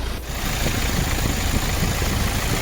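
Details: Hyundai Kia Sportage after jump start, battery charging above 13 V, fan and belt checked: smooth, steady low idle with no squeal, chirp or knock; normal idle.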